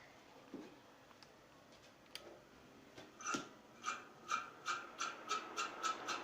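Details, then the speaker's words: Ceiling fan, not a bearing fault: rhythmic scraping rub that quickens as the fan spins up, from the stator rubbing against the rotor. "जैसा की आप सुन सकते हैं की इस ceiling fan में बहुत तेज आवाज ए रही है इसमें आखिर क्या खराबी हो शक्ति है"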